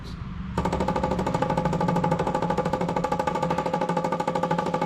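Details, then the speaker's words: 1975 Chevrolet C20 squarebody, sat about nine years: electric fuel pump clicking rapidly, about three per second, running dry without picking up fuel from tank despite air pressure; line or valve possibly plugged. "you know what's more annoying than a clicke clack pumping fuel want to hear the most annoying sound in the world a clickey clack pump and air"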